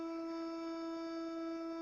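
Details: Toilet cistern refilling after flushing: a steady, pure hum near 330 Hz holds unchanged from the faulty fill valve. The fix is to replace the cistern fill and flush fittings.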